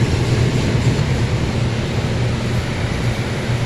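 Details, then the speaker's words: Kolin chiller unit that suddenly lost cooling with no leak, after repair: fan motor started, steady low whooshing drone at constant speed, no grinding or knocking; fan running normally. "Paandarin natin yung unit. Ayan na mga kabusing. Pinapaandaran natin yung fan motor. Ayan, umiikot na."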